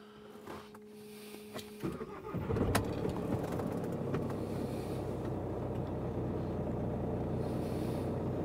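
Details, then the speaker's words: VW Crafter diesel van after replacing faulty auxiliary belt tensioner and damaged belt and fitting a 180 amp alternator, battery charged: short crank, catches and settles into an even steady idle with no knocks or squeal; engine much quieter than before. "the engine's A lot quieter that's that was a big thing that was obvious before when the tensioner was"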